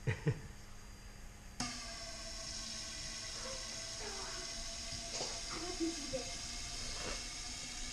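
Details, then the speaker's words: Four decapped fuel injectors from the Chevstang run wide open on a homemade test rig with a stock 1998 Ford Ranger fuel pump at about 25 psi, checking flow evenness; after a click, a steady even hissing spray with a few clanks; normal flow. "So this is done with a stock 98 Ford Ranger fuel pump. 4 decapped injectors wide open. It's only holding about 25 psi, but all we want to see right now is how even they flow."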